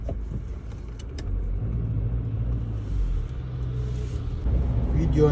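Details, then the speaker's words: Skoda Yeti 1.6 TDI road test after topping gearbox oil from 2 to 3 litres: steady road and engine rumble, no hum or whine in full-lock turns; earlier gearbox hum from low oil gone, gearbox now healthy. "yapmıştık aracımızda şu anda herhangi bir sıkıntı olmaz kalmadı"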